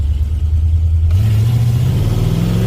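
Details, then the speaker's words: 1986 Ford F150, 351W with Holley Sniper EFI, HyperSpark distributor and ZF5 manual, hard acceleration in second gear; deep V8 bark rising cleanly with no stumble or pop. A strong, healthy pull. "Wow, that's a pretty good pull."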